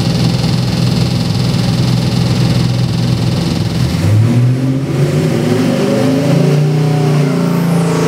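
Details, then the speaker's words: 383 Chevy stroker crate engine, Holley Sniper EFI, about 466 hp and 500 lb-ft, on the dyno, destined for a 2000 Jeep LJ: started on high idle, deep even V8 burble climbing cleanly with revs, no knocks or misses. "let's fire it up and give you a run right up on high idle and comes down to our"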